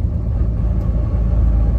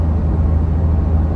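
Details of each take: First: Truck, G56 gearbox with Valair HD organic single-disk clutch, lugging in fourth gear near 1100 rpm: deep uneven rumble and rattle, fading above 1200 rpm, quiet at 1500; gear rollover noise when lugging. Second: Truck, G56 gearbox with Valair HD organic single-disk clutch, cruising in sixth gear at 1600 rpm, 58 mph: low smooth drone, no whine, rattle or chatter, no added noise versus stock; normal drivetrain.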